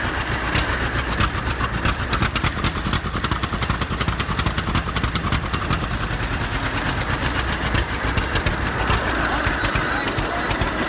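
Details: 70-year-old farm tractor, unrun 20–25 years, after cleaned-up carburetor and solid-state ignition replacing points and condenser, started on choke: loose, slightly uneven low putter with steady exhaust pops at idle; runs fine, needs tune-up.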